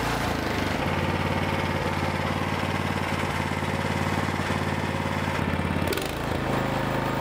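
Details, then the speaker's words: Toro snowblower with an overhead-valve small engine, after a carburettor repair that enlarged the small jet. It starts and holds a fast, even beat with no rise and fall and no pulsing light, so the surging is cured. "okay so i've got the shop paired out i'm going to start it up and you will see that there will be no surging and you will not see the light pulsate"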